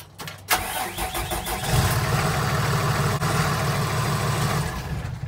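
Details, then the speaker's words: Cummins-powered MT step van with Allison transmission, after PM oil service, fuel filter installed dry, engine cowling off: brief crank, clean catch, even idle with no surge or hunting; normal diesel start. "notice how the motor didn't surge or go crazy on the first fire up it's because i put the fuel filter on dry"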